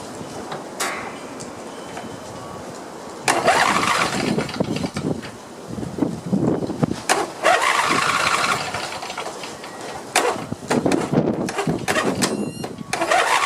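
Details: Craftsman YT4000 lawn tractor, sat in a barn for years, partly disassembled: starter cranks in bursts, engine catches and settles into an uneven but steady run; deck engages with some vibration, blades to be sharpened and balanced. Normal start.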